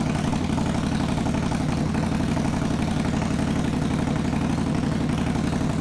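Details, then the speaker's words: 2021 Indian Scout Bobber Twenty with Vance & Hines Twin Slash slip-ons, baffles removed (straight piped): loud, raw, lumpy idle with a hard uneven thump about three beats a second; very loud exhaust. "okay do we dare see what a straight piped one of these sounds like"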